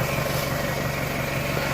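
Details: 1998 Toyota Camry, 154,000+ miles, idling after repair of a failed water pump bearing that took out the timing belt: a smooth, even idle with a steady low hum and no knocks, ticks or whine. Recorded on a phone. The engine sounds healthy.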